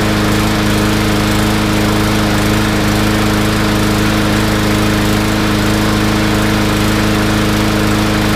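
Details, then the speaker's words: Yard Machines mower single-cylinder, fuel drained, carb cleaned and jet drilled out: steady speed with slight uneven lope, still a touch rough; thought to remain slightly lean but left that way. "not bad still a little bit of unevenness but like I said it's so easy to overd drill those"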